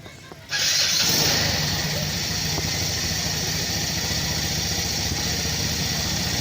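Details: Motorcycle electric start after reviving and recharging a weak battery: starter catches at once and the engine settles into a steady, even idle with no stumbling; battery now turns it over fine.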